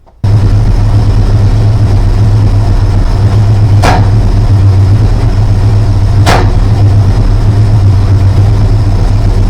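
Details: Newly rebuilt 360 V8, cold, timing 30° advanced at 1,000 rpm: a steady idle broken by two sharp exhaust pops. Owner suspects unburned fuel; plugs always caked, low-rpm hesitation, carbs leaned out and timing varied without a fix.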